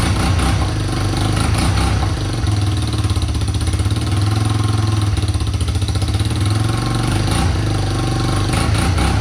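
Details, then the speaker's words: Big Red 250ES single-cylinder after restoring spark, exhaust not yet clamped or bolted in place: strong steady thumping idle with a raspy puffing edge on each beat as air escapes at the loose joint; exhaust leak. "so she's a little bit a little bit noisy like you can hear the air that you're escaping from her"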